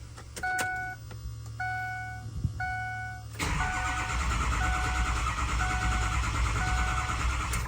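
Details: Built 6.0 Powerstroke diesel, hot no-start. It cranks steadily with a dull churn but never catches while the ICP duty cycle jumps to about 84-85, the scan tool chimes, and then the SCT tuner loses communication. Cause suspected, not confirmed.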